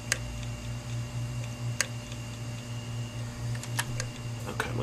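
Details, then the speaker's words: 500GB hard drive powered up right after 18 hours in a freezer: sharp, irregular head clicks every second or two over the steady spin-up motor hum, indicating a head problem. "it's just starting to spin up okay you hear the head clicking that's not ticking so"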